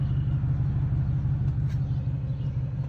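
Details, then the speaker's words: 2001 Cadillac DeVille with code P1404, after a new EGR valve was fitted: low, even idle rumble holding one speed, no longer rising and falling. Steady idle. "I don't hear those RPMs going up and down"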